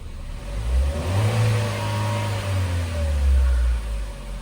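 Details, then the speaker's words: Chevrolet Trax after cylinder head removal and engine repair, coolant bled, warmed up with fan cycling automatically, no check engine light: free revving climbs smoothly through blips and settles back with no knocks, misses or rattles; healthy, ready for road test. "Wala na siyang check engine. Maganda na siya i-rev. So road test na lang."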